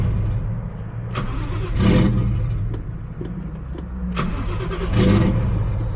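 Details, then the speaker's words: G35 with 1JZ engine swap, AEM Infinity ECU replaced by ECUMaster EMU Black, injector and coil power rewired; steady cranking with brief catches that die off, cam sensor disabled, fuel pump suspected not coming on, nearly starting. "I don't think the fuel pump is coming on, but obviously, as you can see, the cars are wanting to start. So, we're definitely getting there. Cam sensor still not working."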